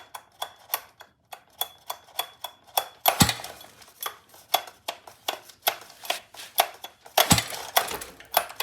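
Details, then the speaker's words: Scooter with a very stiff recoil starter that won't start: sharp, regular clicks about twice a second with heavy scraping bursts on each hard pull; cause of clicking unknown. "yes you hear that i don't know what that is if someone can please help me with that that'll be so helpful"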